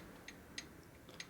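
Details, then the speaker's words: 1947 Harley EL 74ci Knucklehead rebuild, crank rocked by hand: three faint crisp clicks a third of a second apart with barely any backlash; new cam gear, likely oversized, meshes too tight with the pinion gear, with only a couple thousandths of clearance. "there's no backlash in those teeth at all so that means a pinning gear and a big gear might be too tight with each other"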